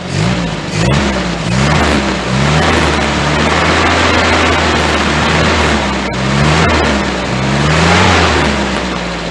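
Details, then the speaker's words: 1098cc A-series engine after SU HS2 carburetor service (new float, gaskets, needle and jet, rich H6 needle swapped for AN) plus cleaned and reset points: clean repeated rev blips, smooth and even, running well. "so we all it's all back together now all seem to be running quite well"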